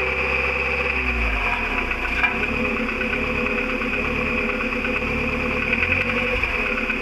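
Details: VW Golf IV 1.4 16v, 102K+ on the counter: dry, uneven rattle just behind the engine block when starting and releasing throttle; owner suspects a loose exhaust pipe, not confirmed.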